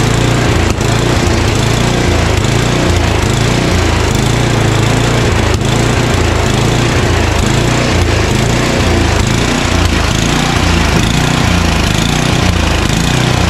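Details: Craftsman 29" snow blower, 9HP Tecumseh single, long-stored, first start on choke at full throttle: hunts up and down about once a second; surging, suspected dirty carburetor.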